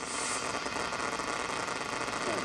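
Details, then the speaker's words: Hammarlund SP-600 JX-6 receiver, first power-up, on HF around 3.9 MHz AM: steady hiss with irregular crackling bursts, no clear signal; local neighborhood radio interference, noise limiter doesn't remove it. "that cracklin though that's my interference"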